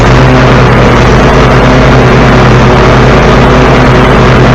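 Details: 14-year-old John Deere L130 mower after installing a new deck belt: loud, even engine drone with no slapping, squealing or chirping from the deck drive; running normally.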